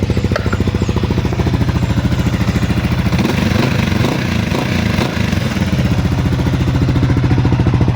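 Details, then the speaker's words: Suzuki Sniper 155 VVA single-cylinder after replacing the failed timing chain tensioner: even, regular idle putter about three beats per second with no top-end rattle; the earlier tensioner noise is gone and the engine runs quiet. "Yan, bumalik na sa dati at tahimik na."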